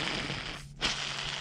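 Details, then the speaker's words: Riding lawn mower idler pulley spun by hand on the bench, removed from the mower: dry, gritty hiss from its sealed bearing packed with old, dirty grease; spins freely without play, so it can be cleaned rather than replaced. "It's got a lot of noise to this. It does spin freely. And the biggest thing is you just want to make sure that the bearing still feels good."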